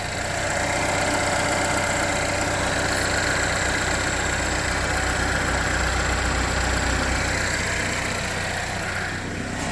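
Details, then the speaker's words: Car with a P0011 code, after cam and crank timing marks were realigned and the engine reassembled: steady, even idle with a smooth low hum and no ticking or knocking; engine sounds good. "all right it sounds good um I'm going to give it like 3 minutes let everything circulate"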